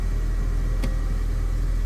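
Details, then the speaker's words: 2005 Honda Civic at idle after a new power brake booster was installed and everything reassembled, hood down; smooth, steady low rumble with no knocks, ticks or squeals, healthy even idle; normal idle, sounds like a winner. "Sounds like a winner."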